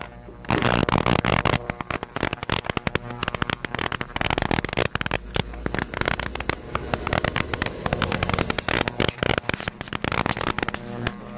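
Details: New 2L ultrasonic cleaner on first use with a carburetor part: dense, irregular crackling and fizzing over a low hum, getting louder when moved to the center. Normal cavitation.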